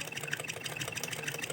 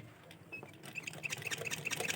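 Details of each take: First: Sewing machine that pulls fabric crooked and feels jammed, being run by hand: fast, even ticking with a dull, dragging tone; stiff running. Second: Sewing machine after home servicing to fix fabric feeding crooked and a slight jam: quick, even stitching patter at about four beats a second with no grinding or catching. It runs smoothly and stitches correctly.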